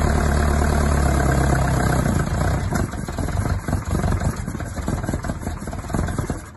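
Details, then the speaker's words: Isuzu Bellett GT-R petrol engine restarted; it catches, runs rough about two seconds, then stumbles and fades, failing to hold idle. "right I've just freed up the throttle stop screw so I might be able to keep it running"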